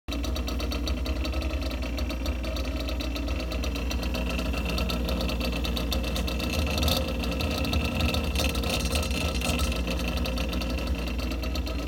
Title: GE Refrigerator Compressor Makes Loud Noise But Unit Is Still Cooling Well.